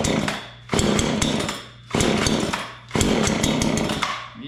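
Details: John Deere CS40 chainsaw just after installing a replacement chain oiler, hard starting. Repeated throttle blips surge, then sag and die back. It idles fine and runs good at high RPM but bogs on throttle. Owner suspects the carburetor high-speed adjustment; the fix attempt failed.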